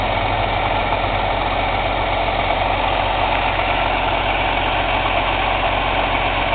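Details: Cummins ISX CM2250 diesel at steady idle during DPF regeneration: rhythmic sharp aerodynamic chuff from the intake, roughly two a second, no mechanical knocking; owner suspects turbo chuff during regen, unconfirmed.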